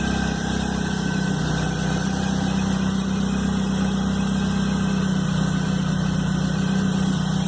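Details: Chevrolet Blazer at cold idle, noise first heard the morning after a mechanic replaced the timing belt and upper belt: steady heavy hum, loud droning note, rough pulse about four per second; source unknown.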